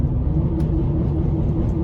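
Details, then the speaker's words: 2013 Honda Odyssey idling with check engine light flashing: rough, lumpy idle with uneven stumbling beat as a cylinder repeatedly drops out; clearly misfiring, owner fears catalytic converter damage. "can see that it's clearly misfiring probably destroying my catalytic converter"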